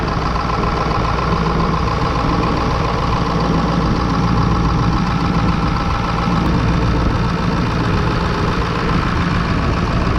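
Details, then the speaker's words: 2002 Ford Excursion 7.3 Powerstroke diesel after A/C compressor, accumulator and orifice tube replacement, A/C on max during recharge: deep, steady idle clatter with even rumble, no compressor squeal or grinding; A/C running normally. "And fire it up. Max AC, and let it get going."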